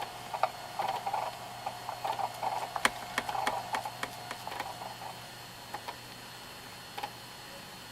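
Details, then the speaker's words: JVC VHS-C camcorder after refitting the slipped take-up belt, in playback/rewind; uneven light ticking about three a second over a quiet hum, owner suspects the belt, noise getting quieter with use: clicking noise. "Just need to get rid of that motor noise. No, it's not really motor noise, it's probably the belt making that noise actually."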